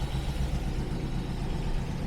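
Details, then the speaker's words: TVR Griffith 500 V8, warming up with temperature gauge not yet moved: deep, even burble with steady low rumble and no dropped beats. Normal idle on all cylinders. "uh let me see agage hasn't really moved yet but we're keeping a steady idle that's really good I didn't really want to idle before when it wasn't on all cylinders"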